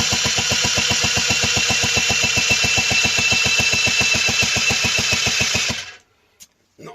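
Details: Honda NH80 Vision scooter during restoration, after cylinder barrel repair: starter churns evenly at about four compression strokes a second for six seconds, never catches, then stops; cranking without firing.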